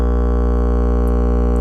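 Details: Miller & Kreisel MX-105 MkII subwoofer plate amp that distorts above low volume, test tone swept 50–120 Hz: a low hum with a harsh buzzy edge that beats and swells as frequency rises. Clipping caused by both failed main filter capacitors; the board was recapped.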